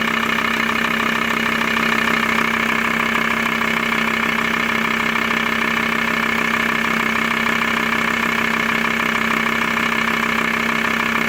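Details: VW T4 with ACV diesel engine at idle: steady diesel idle with a regular tapping about two and a half per second running through it; engine noise, cause unknown.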